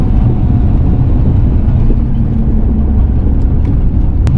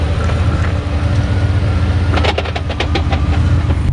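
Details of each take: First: Ford Fox-body Mustang with a cheap used Marketplace T5 manual transmission of unknown history, installed behind about 500 hp, at street cruise without full throttle. Low, even rumble with no gear whine or grinding, much quieter than the previous whining unit; third gear may need a synchro. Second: Fox-body Mustang with budget turbo 302 GT40 build, about 500 hp, broken T5 manual transmission: irregular loose metallic clatter bursts over low drivetrain rumble while limping to garage; owner guesses broken input, third gear and countershaft teeth; quiet with clutch pressed.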